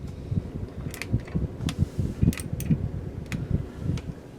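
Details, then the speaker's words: Homemade workshop heater (repaired after last year's failure) just after startup, still slowly building heat: low, even fan hum with only a few light ticks over it; fan running smoothly and normally. "so this one's going pretty well it does take this one a little while to build up some heat but it'll get there"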